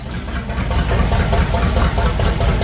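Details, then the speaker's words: 1978 motorhome 440 big-block V8, unrun for years, for a 1974 Plymouth Cuda, on custom run stand, choke wide open, cold warming up, coolant filled, electric fan: loud, steady, even lumpy idle, no misses or knocks; normal idle. "it's idling no way we got the choke wide open right now we're just going to let it run for a second and uh kind of warm up"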